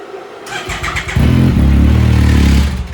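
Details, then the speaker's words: 2019+ Yamaha YXZ1000R just fitted with a Weller turbo kit, tuning not yet finished and blow-off valve on order: brief cranking, catches with a rough rattly, cranky note for about a second and a half, then stalls. "Ooh. I killed it. Yeah, good. Sound a little cranky. Yeah. It's like rattly too."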